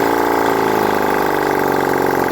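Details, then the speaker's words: Honda CD175 single during restoration, engine reinstalled after timing reset, no exhaust fitted: loud open-port bark with rapid even firing pulses and steady idle; running, owner unsure how well yet. "I set the timing and everything else put the engine back in the bike um tried to start it it runs um not too sure how well it's running right now"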